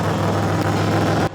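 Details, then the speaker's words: 2006 Chevrolet Impala 3.9L, heard from underneath before the cat-back replacement: raspy, puffing chuff over a low drone after the rear exhaust fell off and was tack welded; exhaust leaking before the muffler. "so this customers are regular at the shop but the reason why he actually came in because the back part of his exhaust just fell off so we had to tack weld it for him"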